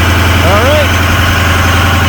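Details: 2006 Ford F-250 6.0 Powerstroke diesel after wiring an upfitter switch as a high idle switch (parking brake applied); switch turned off. Deep, even rumble at steady low idle with no hunting or surging; back at normal base idle.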